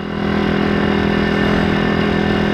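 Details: Stomp CRF70 pit bike, YX 160cc single-cylinder, ridden after valve adjustment (inlet 0.04, exhaust 0.06). Steady single-cylinder note at even speed, no ticking or top-end clatter; running better than before. Normal running.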